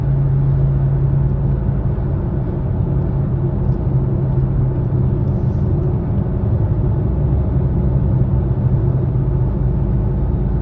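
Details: 2020 Subaru Ascent while driving: a steady low hum fills the cabin, sitting under the usual road rumble.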